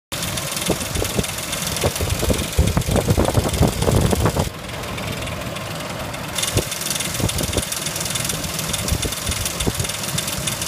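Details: 2004 Ford Explorer at idle: light, uneven ticking about three per second; confirmed failing timing chain tensioner, engine removed to replace timing chains.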